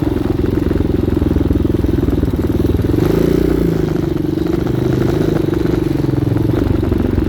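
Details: 2019 Hawk 250cc motorcycle single, after a carburetor replacement, cold day, after running on half choke: a steady, even thumping at low idle with no misses or stumbles; healthy, settled normal idle.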